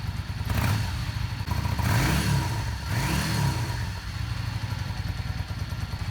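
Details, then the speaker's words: Yamaha Star 650 V-twin after carburetor rebuild, choke off, warming toward operating temperature before carb balancing: blips up cleanly two or three times and drops back to steady lumpy idle; crisp, normal throttle response. "the bike is gonna be brought to full-time batur before I do any balancing and we'll take a look at some throttle response here"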